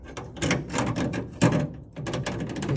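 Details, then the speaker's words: 1968 Ford F100 door handle shaken by hand: loose metallic clattering in short bursts from a worn factory latch ramp and likely hardened or missing rubber bushing, causing rattle while driving. "how bad the factory ramp had worn out on these to the point where they were just so sloppy they rattled the whole time"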